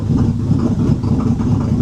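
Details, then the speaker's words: 2005 Bentley Continental GT with a newly installed engine, after about 3 years off the road; vacuum lines possibly damaged during install leak under the car onto the gearbox: low, uneven, surging, stumbling idle; alternator charging 13.1 V. "If the vacuums would be sorted, that car would run smooth. But now, as the everywhere the vacuum leaks are underneath onto the gearbox, the car doesn't sound very healthy."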